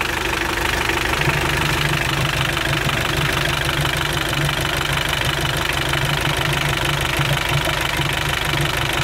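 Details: Mitsubishi L200 Sport GL diesel idling with a rough, steady knock about three times a second; internal ring problem, heavy blow-by pushing lots of oil out the filler cap.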